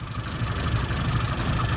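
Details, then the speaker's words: 1100 with no vacuum advance unit connected, at idle: flat, lumpy idle with an uneven low thump; strobe shows 41 degrees of advance, far too advanced, to be dialed back about 30 degrees. "okay so uh just getting the strobe reading that's idling no vacuum connected and we've got 41 degrees so that's why that engine's running lumpy"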